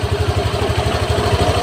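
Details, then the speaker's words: Honda Vario 150 injected scooter, warming engine: even steady thump about eleven beats a second, slightly high idle with no misses; idle now adjusts normally, fixed. "kita kecilkan lagi gasnya ya untuk IDnya juga Dia normal bisa dibesarkan bisa dikecilkan tidak seperti tadi"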